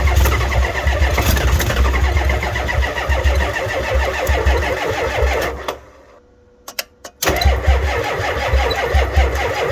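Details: Ford F350 7.3 IDI diesel at about 15°F, batteries weak, charger on booster, some glow plugs suspected dead: steady cold cranking, momentary catch, pause, cranks again without running; cranks but will not start.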